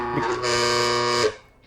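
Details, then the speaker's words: Bentwood Vertical 63 coffee grinder running; motor whir with a bright rattly buzz that stops with the motor; resonance from a loose side panel, not a motor fault, which is not the factory sound. "Essentially, there's this loose panel here at the side. So when we press play, you can hear, you see? You hear that? It's like resonance, right? It's not the motor."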